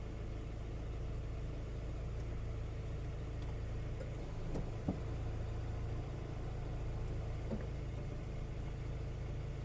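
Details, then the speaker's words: Nissan pickup 2.4 12-valve petrol engine idling smoothly with stable revs after complete timing chain, guides, hydraulic tensioner and sprocket replacement; no abnormal noise, only an unreplaced A/C compressor bearing audible. "ahí está el motor enciende al primer llevazo la revoluciones bien estables el motor se escucha bien en parejito no no se escucha ningún ruido así anormal"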